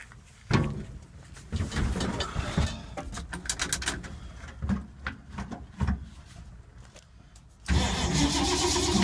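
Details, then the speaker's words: 1952 Ford, unstarted for a few months, cranked about five minutes: long uneven cranking bursts with pauses, never catching; owner suspects flooding or points/condenser from moisture; crank no start. "wow five minutes of crankage and nothing what a boring ass video"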